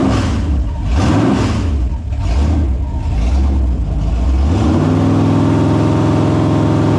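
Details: Holden 253 V8 bench-tested after freshen-up (new bearings, honed bores, rings, Yella Terra heads, timing chain, gaskets), on petrol: several clean throttle blips rising and falling freely, then a steady, even idle, no knocks or leaks; normal idle and revs.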